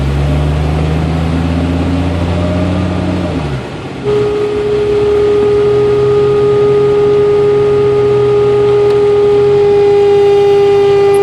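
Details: 1992 Jeep Cherokee, A/C on: steady high whine rising over the engine at low idle after a quick RPM drop, intermittent; stops when A/C is cycled off and on, returns minutes later. Cause: overcharged system letting liquid refrigerant reach the compressor.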